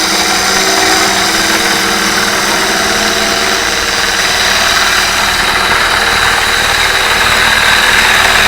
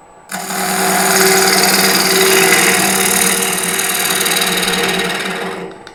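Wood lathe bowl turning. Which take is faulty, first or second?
first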